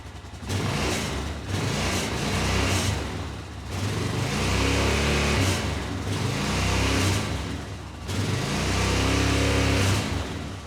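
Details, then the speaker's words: 2005 Honda Rincon 650 ATV with no power and 15 mph top speed, after replacing carburetor vacuum diaphragm: revs climb slowly and modestly then sag, never pulling hard; power loss persists, owner suspects the cam. "It definitely needed a new vacuum diaphragm, but it still seems to be not opening it up much."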